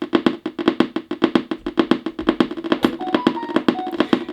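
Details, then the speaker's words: Turntable speaker gives sharp, even clicks about five a second that speed up with volume but not with turntable speed. "And the more volume you put on, the quicker the clicking is. What's that about? It doesn't seem to be related to the speed."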